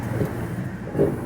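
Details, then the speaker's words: Electrolux 8 kg top-load washer, model LM08, after bearing and seal replacement; level hose blown by mouth to simulate water fill. Low, even thumps about once a second as the agitator swings back and forth: normal wash agitation. "se você perceber ela já começou a fazer a lavagem já tá vendo"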